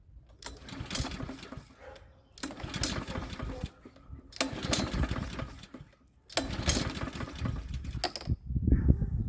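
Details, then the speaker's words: Troy-Bilt TB130 21-inch push mower, Honda GCV160 engine, sold as non-starting; four recoil pulls spin without firing because the fuel tap was left shut, no fuel reaching the engine. "oh wait a minute I didn't turn the field tap on that might help that's why I wasn't doing anything"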